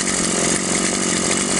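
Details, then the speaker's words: Stihl MS 180/170 chainsaw with non-adjustable carb, lacked power, seemingly short of fuel; after carb needle adjustment and idle set, holds steady even high rev cutting wood, no bogging or surging: normal cutting. "а вот и все как мы видим пила работает нормально"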